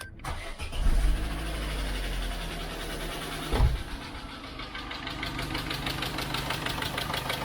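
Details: Grubby 2002/2005 Vauxhall Corsa 1.2 SXI petrol, cold start before cleanup, oil level believed fine: cranks, catches, settles to uneven idle with faint light ticking; top-end valve tick, cause unknown.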